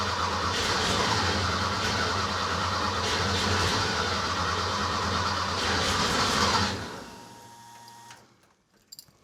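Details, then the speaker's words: Rebuilt Porsche 912 flat-four in a 911, first start, idle stops set to keep it above 2000 rpm for cam break-in: rough uneven running about six seconds, lumpy beat, then dies; one carburetor dry, owner suspects stuck float; running on one bank. "well it's running but i think um it's only running on one side i don't see any squirting coming out of this side"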